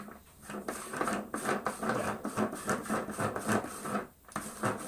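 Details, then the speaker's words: 1992 Numatic George GVE370 vacuum cleaner during refurbishment: choppy, uneven rattling scrape as the old, well-used wheel rolls; worn dry wheel, fixed with a smear of grease. "Little smear of grease. I mean, the newer ones don't need it so much because they're not as worn as this, but yeah, by the time they're this old and this well used, it just makes it that little bit nicer."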